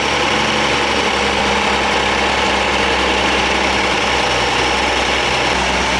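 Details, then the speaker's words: 1962 AMC Rambler Classic Deluxe, off road since 1975, with fabricated throttle linkage: engine holds a fast steady idle that won't drop; idling far too high, owner suspects heat, cause unconfirmed. "It's idling way too high. I don't know why it doesn't want to idle down anymore."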